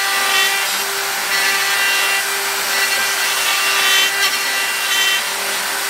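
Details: Milling an upper receiver: harsh high-pitched cutting hiss with a ringing tone beneath; the end mill sticks out far despite bearing support and chatters in the cut.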